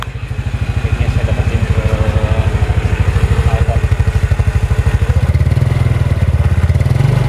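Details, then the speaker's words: Yamaha Mio Sporty after a carburetor needle adjustment to fix hesitation at low rpm, recorded with an external mic: even pulses and a clean pickup as revs rise, with no stutter; smooth revving, fault fixed. "halus sekali tanpa ada apa gejala gejalaan berbet sama sekali nih lihat kita tes lagi"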